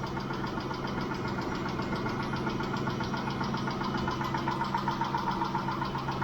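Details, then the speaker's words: Mitsubishi Montero Sport 6G72 V6, about 5 minutes after start, nearly warm, after Liqui Moly lifter additive: steady light tapping about 2.5 per second, single knock suggesting one failed hydraulic lifter. Finding: hydraulic lifter tapping at idle. "стучит только один раз — слышен лишь одиночный стук."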